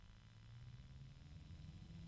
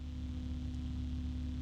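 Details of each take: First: Large fan started at full voltage, then turned down toward its lowest speed of about 800: a low droning hum that creeps slightly higher in pitch and louder as it spins up; loud, measured at 60.9 dB. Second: EK Furious Meltemi 120 PC fan on a fan controller, compared with a Noctua NF-A12x25 at the same RPM: steady low hum with a soft, even rush of air and no ticking or rattle; slightly louder than the Noctua, running smoothly.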